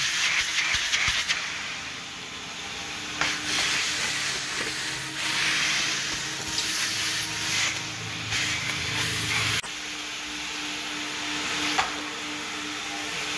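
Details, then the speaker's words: Old car wash vacuum with a 2-inch hose, emptied after years and a split hose taped: loud, steady rush of air shifting slightly as the nozzle moves, no bogging; strong normal suction. "Oh yeah, that's sucking pretty hard now."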